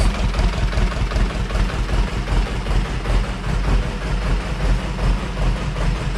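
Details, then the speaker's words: 30hp Deutz two-cylinder diesel on a homebuilt hydraulic log splitter, full oil pressure, idle lowered after a bolt was holding it up; steady low thump around 150 beats a minute, no knocks or misses. Normal idle. "oh we got all the oil pressure so it is down at idle that bolt was holding it up so we'll let it idle"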